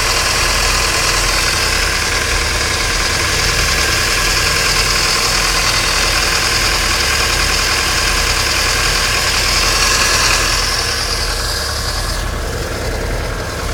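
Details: 1995 Alfa Romeo 155 2.0 TS 16V idling with a strong high whirring hiss over it, easing near the end; accessory-drive whine, alternator bearings suspected but unconfirmed.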